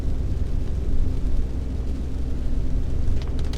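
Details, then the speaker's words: Honda Accord, before repair: deep, steady growl under the cabin that gets louder with speed, unlike tyre noise, which is loudest while decelerating. Worn wheel bearing; the noise disappeared after the bearing was replaced. "其实店长之前也讲过，就是轴承的声音跟轮胎的声音会不一样。轴承的声音就是速度越快，声音会越大声"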